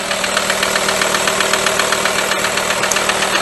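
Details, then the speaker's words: VW Transporter/Multivan AXD diesel, 210,000 km indicated but likely more, with heavy oil consumption and high crankcase blow-by: steady sharp knocking about four per second at idle under the hood; bottom-end knock, cause suspected, to be confirmed on teardown. "Пойдёмте под капот заглянем Что там у нас творится покажу я вам как он стучит вот такой стук"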